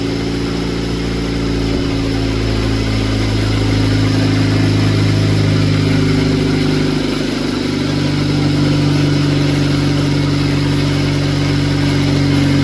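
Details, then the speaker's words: Honda with earlier low-rpm flutter, after fuel injector servicing (spark plugs and distributor previously fixed): steady even idle climbing smoothly on revs and settling back, no flutter or misfire; normal idle and revs. "And with that, the injectors are done. And it actually sounds a lot better. There's no more flutter."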